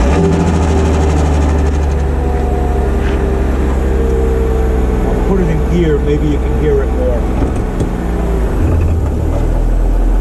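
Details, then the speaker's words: Mercedes E320 W210, M112 engine, mic under car, idling out of gear: steady low idle with loose tinny marble-like rattle from breaking downstream catalytic converters, which may restrict exhaust and burn up upstream cats. "doesn't sound too good that's the downstream cats the insides of them are breaking apart and it that causes an exhaust restriction that could cause the upstream cats to burn up himself"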